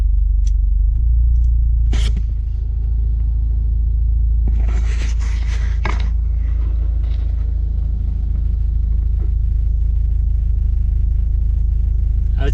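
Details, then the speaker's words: 2018 Subaru WRX heater/AC blower at its lowest setting after installing the OEM sound-fix cover and clips: a low, steady, smooth hum with no rattle or buzz. The annoying blower noise is greatly reduced. "that's greatly improved before thanks for joining today really easy mod takes away that annoying blower motor noise"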